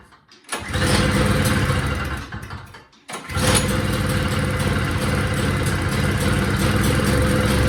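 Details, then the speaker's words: Two-stroke single-stage snowblower, previously a no-start with good gas, choked and primed: catches after a stumble, then runs with a wavering, uneven beat and smokes; surging badly, carburetor to be pulled and inspected. "well it made a nice uh oily mess on my floor and as you can see it was smoking pretty good it's surging really bad"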